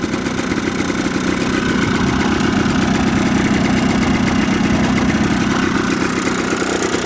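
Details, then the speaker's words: Yamaha Blaster two-stroke ATV after a top-end rebuild, cold start with some choke, 32:1 fuel mix, little smoke. Even, crackly idle with a steady beat and no knocks or misses; normal idle. "uh no smoking still not even smoking after I did the rebuild and ran it for a while so it's not nothing's worn down yet"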